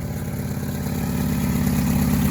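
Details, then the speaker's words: 1971 Fiat 124 Sport Spider idling around 1,000 rpm, not quite at operating temperature, heard at the engine: loud, rough, raspy idle from an exhaust manifold gasket that sprung a hole. "Yeah, as you can hear, it sounds pretty loud because of that exhaust manifold gasket, but yeah, so that's pretty much it."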